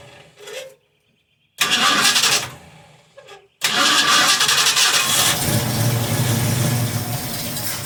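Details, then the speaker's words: 1971 Ford Mustang Sportsroof (351) after 14 years sitting, fuel pump dead, so fed 50:1 saw-mix gasoline: a few cranking bursts with pauses, then catches and settles into a smooth, even run; starts and runs after long storage. "Whoa! You hear that? That's all right. Runs like a sewing machine. I hope it's got more horsepower."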